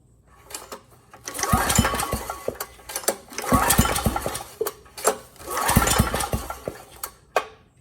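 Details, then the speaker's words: Briggs & Stratton Vanguard on a Powermate 5000 W generator, sold as having a burned piston and no compression; after repair, recoil pulls give firm, even compression thumps, now nearly 50 psi versus 30 psi before. Leak-down fixed, compression healthy. "okay good actually we're almost at 50 now uh that's a pretty good number and i suspect once we get the engine running if i were to do this again it would probably be even higher"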